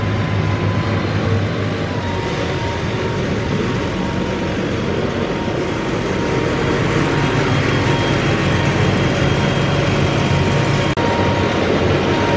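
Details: Massey Ferguson 40 diesel combine, about 1996, sat 3 years, after fuel system bleeding and restart: settles into a steady even low rumble with no knocks or misses, running on its tank, slight smoke from disuse; normal diesel running.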